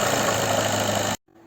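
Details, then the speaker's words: Seat Leon 2014 2.0 TDI diesel at idle: steady idle with a fine, even ticking over the clatter before shutting off; cause of the tick not yet diagnosed. "نلقو فيكو هذا السيارات الالمانيه ما كنت تسمعوا معيا الصوت هذا في المحرك"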